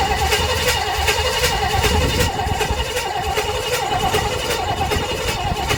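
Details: 1958 Chevrolet Bel Air 4-door hardtop, engine rebuilt at a vo-tech but never finished, first start attempt with 2-stroke gas in the carburetor: steady starter cranking with even pulses, no catch. Cranks but won't fire.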